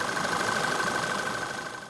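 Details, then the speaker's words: Running petrol engine at idle, crankcase breather hose seal removed to induce a leak, located with an acoustic camera on the intake pipe: thin steady whistle of air sucked in over quiet idle — intake air leak. "And if we zoom out a bit and then just go to single source, you can see that it's picking up that area as a source of high noise."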